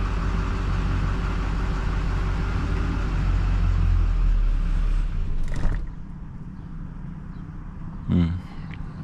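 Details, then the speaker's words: GMC diesel pickup after a blown 40 A starter-relay fuse was replaced, with glow plugs cycled: a deep rumble runs a few seconds, then dies abruptly. It starts and stalls from low fuel rail pressure (desired 6,000 psi), caused by a loose filter bleeder screw. "Yeah, it shuts off. So we got a fuel rail issue, desired pressure 6,000 psi."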